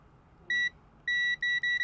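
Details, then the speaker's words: Continuity tester checking a 4.4mm Pentaconn interconnect cable (tip, rings, sleeve) while tracing a Mass Kobo 475 amplifier noise: clear high beeps where points connect; on the OEM cable the sleeve shows no ground connection. "if I touch anywhere you see there's no sound only the third ring now if I was to touch the sleeve no sound the sleeve is not connected in this cable here"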